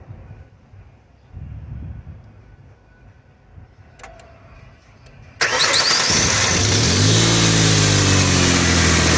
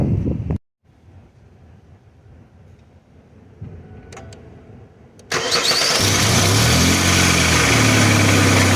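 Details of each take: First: 2003 Ford Explorer petrol engine cranks and settles into a steady idle after replacing a worn, wiggling engine pulley; the loud startup rattle is gone, though a slight engine rattle may remain. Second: 2003 Ford Explorer cranking, catching, then idling with a loud, harsh metallic rattle from a very old, worn engine pulley that visibly wiggles; heard before the pulley was replaced.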